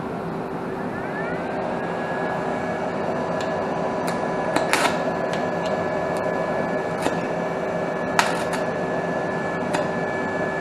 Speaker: And as you can see, it splatters quite a bit. Typical though, that's typical of a stick weld.